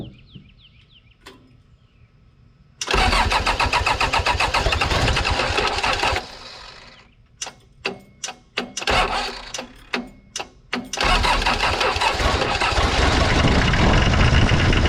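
After quiet cranking it catches and runs hard and loud, stays racing with some surging; the engine idles far too fast.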